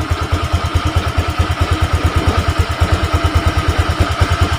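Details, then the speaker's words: Honda Vario 125 old-type scooter after fixing a total electrical failure (fuse and relay checked): starter works, engine idles steadily low with even pulses about two per second, no knocks or rattles; running normally. "Terdengar ya, motor sudah nyala, speedo sudah nyala."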